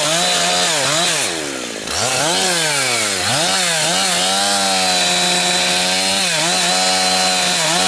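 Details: Husqvarna 362XP Special chainsaw, cutting firewood. The pitch sags as it bites into the wood, then holds a flat, capped top speed near 10,000–10,500 rpm and won't rev out. The wrong ignition coil is limiting it, causing four-stroking and lost chain speed.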